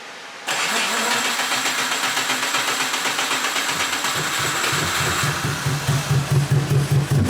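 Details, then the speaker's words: AWD classic VW Beetle build, first start after bad-gas problems: rough lumpy start that sounds like only a few cylinders firing, then catching up with a big bang, won't idle without held throttle; misfire with backfire on start. "I don't know if you can hear but it sounds like it's only running on a few cylinders and then it catches up and then there's a big bang it also wouldn't stay running on its own we had to keep the throttle going the full time"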